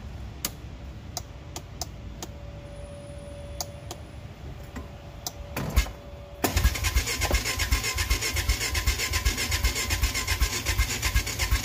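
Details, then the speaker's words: Honda Foreman four-wheeler, before carb cleaning: starter chugs steadily about two and a half beats per second but engine never catches; cranks without starting, owner suspects clogged carburetor. "all right so as you can see this thing is just it's not starting most likely the carburetor is clogged"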